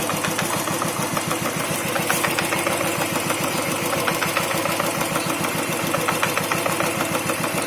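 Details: New Royal Enfield Thunderbird 350X single-cylinder at idle: quick, even clatter of about three to four beats a second from the clutch side, present since new despite repeated service visits; cause unknown.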